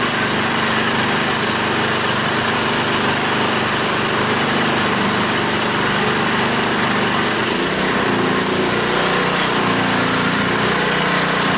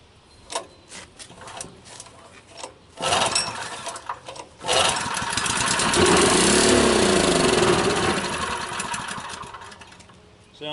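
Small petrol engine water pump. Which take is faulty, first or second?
second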